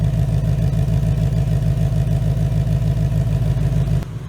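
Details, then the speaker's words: 2019 Mustang GT with Whipple supercharger, new built engine after a broken piston and melted catalytic converters, breaking in on BR30 oil: even, steady idle pulses with no knocks or misses; freshly built engine running smooth. "this thing is running super smooth guys"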